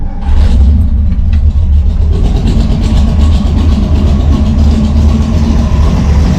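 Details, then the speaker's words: Engine with Brawler 650 CFM double-pumper carb (mechanical secondaries), timing 16° initial / 36° total, tuned with a vacuum gauge: deep, loud, lumpy idle that stumbles unevenly and never settles because the idle mixture is set too rich. "10 see it really doesn't like that too rich"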